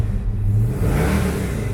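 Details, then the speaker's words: 1973 Dodge Charger, 318 cubic inch V8 with automatic transmission, starts without throttle and idles with a deep, smooth, even rumble, no knocks or misses; rear fuel pump audible beforehand; healthy normal idle. "Voilà, alors je n'ai pas appuyé sur l'accélérateur. Elle a démarré impeccable. Et elle a ce joli son bien à un contour, faut le signaler aussi."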